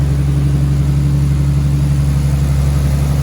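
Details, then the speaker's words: Nissan R33 RB25DET Neo after repairs: a steady, even, smooth low hum with no exhaust leaks, ticking or squeal; normal idle. "No exhaust leakies. Sounds very smooth. It's very nice."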